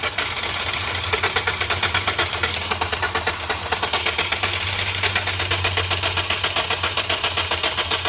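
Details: Maruti Suzuki Ertiga petrol, towed in with pickup issue, stalling off throttle and check engine light: even quick starter cranking about four beats a second that never catches without throttle; engine timing problem.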